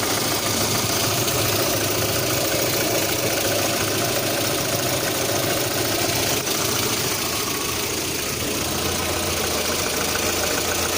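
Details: 1.6 8-valve petrol engine at a loud idle with a fast, uneven tapping of about three or four knocks a second; the owner reports a knock at idle, sometimes on adding throttle at start-up, with the cause unknown.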